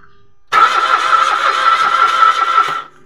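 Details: Mitsubishi Mirage automatic cranking but not starting: the starter churns fast and evenly for about two seconds, but the engine never fires; spark plug is new and no fuel comes out, so the fuel pump is suspected.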